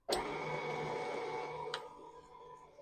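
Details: New KitchenAid stand mixer with wooden bowl, first use, mixing cookie dough: steady light motor hum with soft rhythmic churn of the beater, fading smoothly; running normally on low.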